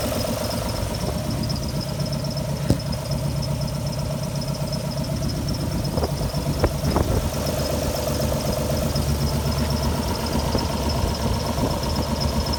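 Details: Alfa Romeo GTV V6, parked for a few months, started up with a rough idle: uneven lumpy pulses about four a second and stumbles when revved; owner suspects a misfire.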